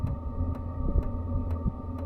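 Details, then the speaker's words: Heater fan running in a truck-bed topper camp during a blizzard: steady low hum with a soft whoosh comparable to a box fan, quieter than a window air conditioner; running normally. "Again, uh I would I would compare it to like a box fan, I guess,"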